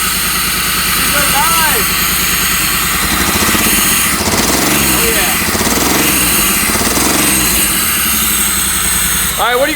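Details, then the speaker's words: Pontiac Fiero V6 lowrider, abandoned and just revived on its own fuel system, idling with no throttle: a rough, lumpy stumbling beat, likely three or four of six cylinders firing; owner suspects clogged fuel injectors. "think is it running on three or four out of the six cylinders this is so so bad"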